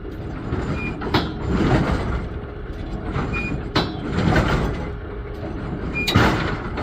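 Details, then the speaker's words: GSX pinsetter sweep wagon run through its travel: repeating mechanical clunk and a short squeak at one point, from a dry bushing needing grease. "So, let's stop it right about there. That's where we heard the squeak."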